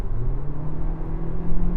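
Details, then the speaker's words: New Toyota Prius, 2.0L naturally aspirated four-cylinder with CVT, flooring it onto a freeway: the revs are held at one constant rpm for maximum power, a flat mooing drone that barely climbs with speed; normal CVT behaviour. "That's the problem with this car's CVT gearbox. It does this thing when you accelerate hard, it holds the revs at a constant RPM for maximum power, and it just makes that mooing sound."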